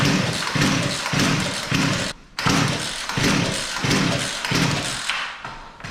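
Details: Poulan Pro P3416 34cc chainsaw after regapping the new spark plug: uneven sputtering bursts that fade and nearly cut out; suspected running too rich, high-speed carb screw being adjusted, not confirmed.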